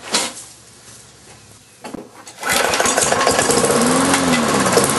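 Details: Briggs & Stratton engine transplanted onto a Lawn-Boy mower deck, sat since spring, fresh oil, 89-octane fuel with Marvel Mystery Oil in fuel and oil: a few failed pulls with short sputters, then it catches and runs; hard starting, owner suspects carburetor diaphragm.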